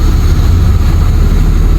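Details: Honda City 16-valve after check-engine and high-idle repair: steady even low idle with AC switched on, no hunting or dips; normal idle with AC load.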